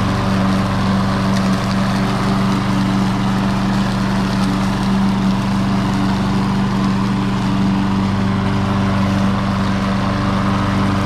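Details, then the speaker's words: Troy-Bilt TB280ES mower pulled from the trash, with a dead electric start and a no-choke, no-prime carburetor: it is a little hard to start, then the single-cylinder runs at a smooth, steady constant speed with no misses or surging; a clogged needle is suspected. "It seems to run okay. It is a little hard to get started, but it's got that weird carburetor that has no choke and no prime."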